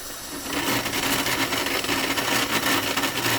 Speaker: bu rahatsız edici sesi engellemek için şöyle bir şey yapalım